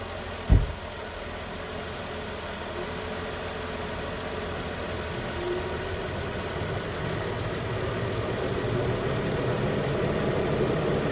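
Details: 2013 Nissan Pathfinder at 265k miles, idling after AC compressor clutch and serpentine belt replacement: one sharp click at the start, then steady even idle, no knocks, squeals or rattles; normal idle.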